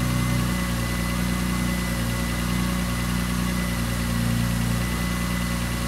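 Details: BMW E30 with a turbocharged M52 engine, started after winter maintenance: a steady, even idle with a low, smooth rumble and no misses, knocks or hunting, running nicely, a normal idle.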